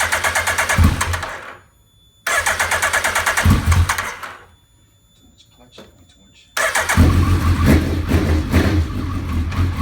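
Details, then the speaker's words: Suzuki Hayabusa after new starter fitted to fix sluggish or no start when hot: two strong, even cranking bursts with quick steady spin, then catches and settles into even idle; starter healthy. "All right, first start after the new starter and everything else."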